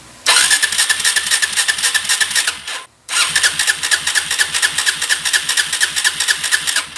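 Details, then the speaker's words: 2017 Suzuki DR-Z400S single, stored with bad fuel in carb, cranked with jump pack for faster spin after reconnecting the disconnected vacuum fuel line. Fast, steady cranking in two long bursts, never fires. Crank-no-start persists; deeper dismantling needed. "what i found was that the vacuum line that goes to this vacuum fuel was off disconnected so that would give us a huge vacuum leak so i wanted to put that on and try that first but we're not getting any better"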